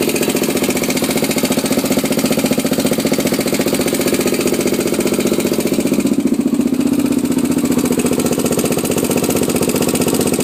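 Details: Honda 400EX single-cylinder at steady idle: fast, even ticking, close to four per second, locked to engine speed; origin unknown.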